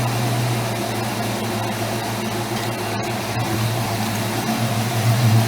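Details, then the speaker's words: Mustang at idle after fitting a new Gates serpentine belt, with underdrive pulleys on the alternator, water pump and crank: steady, even idle with no chirp or squeal; running fine. "right so it sounds like it's running fine you can see the gates logo they're running through every once in a while"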